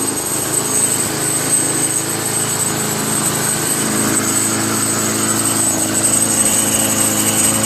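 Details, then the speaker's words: Craftsman Eager One 20-inch push mower, 4 HP Tecumseh, after carburetor replacement: single-cylinder runs steadily with a light tinny buzz on top; metallic rattle, owner suspects a thin inner sheet-metal bracket vibrating. "it's a car like a metal small little metal thin bracket vibrating that's what it sounds like"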